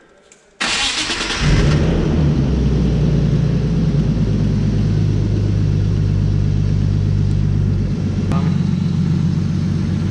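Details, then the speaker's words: BMW after replacing faulty starter motor that spun freely without engaging the flywheel: brief crank, engine catches and settles to even idle with faint electrical hum; previous whine gone, normal start. "chicos, parece que está todo bien, ¿vale? Sí que suena un pequeño, como si pasara corriente por algún sitio, pero no es el pitido que sonaba antes."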